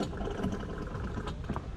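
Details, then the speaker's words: C5 on a ride: light, fast, uneven chattering clatter over a low motor hum with the wheel spinning free, like a loose chain slapping; owner suspects the chain tensioner, not confirmed; chain rattle. "okay well this does not sound good i think it might be the chain tensioner can you hear that that is not normal"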